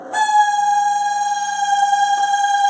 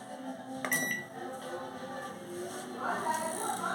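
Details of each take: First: Nearly 20-year-old 220 V microwave, model AMW G 925 CSG, started on 30 seconds with water inside: loud, steady high squeal from the cooling fan's dry plastic shaft bushing. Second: Japanese 220V microwave, model AMW G 925 CSG, after repair: it runs with an even hum and no rattle, squeal or scraping. The earlier strange noise came from a lack of lubrication in the fan's plastic bushing, which was oiled.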